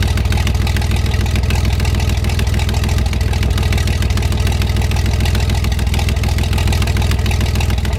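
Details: 1973 GMC 432 cu in V6, first run after about 5 years sitting: deep, even, steady idle with a regular low beat and no misses or knocks; no smoke once warmed up; normal idle.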